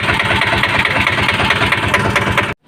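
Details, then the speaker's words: Piaggio Ape auto with a Greaves engine, idling after the valve rocker (tappet) gaps were adjusted by screw tightening: even, steady clatter with no loose tappet rattle or unwanted sounds, then it shuts off; normal idle. "Engine sound వస్తే మనకు ఎలాంటి unwanted other sounds ఏమి లేవండి గురువుగారు"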